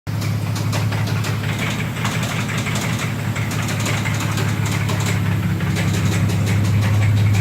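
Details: 2004 Dodge Dakota 3.7 V6 idling with a loud, steady deep rod knock about three a second, starting hours after shop repair; oil pressure dropping, full synthetic 10W30 run instead of 5W30.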